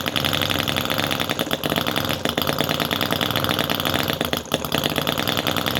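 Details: Cison FG-VT9 9cc petrol model V-twin with carb float: fast, busy chatter holding a steady beat with no misfires. Running evenly after a difficult start, float now working, until fuel runs out; normal running.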